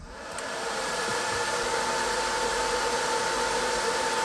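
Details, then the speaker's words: Top-mounted cooling fan on a 20 W diode laser module, phone at pencil distance, with a laser-cut 3 mm spacer cover fitted. An even airy whoosh with a soft tone; the harsh high-pitched noise is gone. Normal fan noise. "can hear that harshness that high pitch noise has disappeared so it's far less painful on your ears just let you listen"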